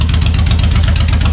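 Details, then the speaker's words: Suzuki Intruder VL 1500, sat for years, after carb cleaning and decompression valve check: loud deep evenly spaced thumping at idle, both cylinders firing steadily, no misses or knocks; healthy running, smoke from sprayed cleaner. "sounds gorgeous it's very loud but it sounds good"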